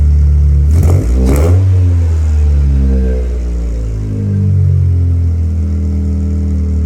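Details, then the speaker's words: 1996 Eclipse running just after fuel pump priming, with no water in the cooling system: deep, uneven running with revs swelling and sagging rather than settling; rough running, cause unknown. "all right guys like you just seen she's running it's not pretty but she's running right now"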